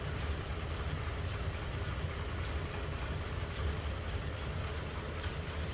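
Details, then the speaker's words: 1936 Ford Cabriolet flathead V8, single carb, hood sides open, idling: low, soft, even rumble with no ticks, knocks or stumbles; runs pretty smooth, normal idle. "There's that flatty. We're running pretty smooth."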